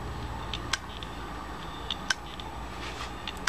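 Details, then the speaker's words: Failed computer hard drive: sharp, dry, irregular clicks, roughly forty to fifty a minute, over a faint spin hum. The heads are worn, the drive has reached end of life and is dead. "ese sonido es el de un disco rígido roto tiene los cabezales trabajados"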